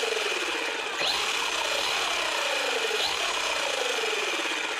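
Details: RC ESC that had a blinking red light and no throttle, after reseating a possibly loose connector: smooth high-pitched electric whine holding steady with brief pitch swoops as throttle changes; motor and speed control responding normally.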